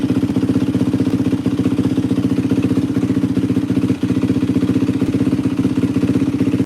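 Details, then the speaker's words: 2004 Yamaha WR450F single after carburettor rebuild kit, pilot mixture screw 2 turns out: steady, even thumping idle about four pulses a second, no misses or stumbles; runs great, float adjustment may still be needed if it leaks. Normal idle. "Damn, this thing fucking runs amazing. Sounds freaking great."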